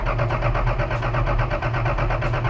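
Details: 1982 Toyota Celica Supra during revival, new timing belt fitted by previous owner, carb cleaner sprayed in PCV hole: steady quick starter churn never catches; cranks but won't start, spark uncertain.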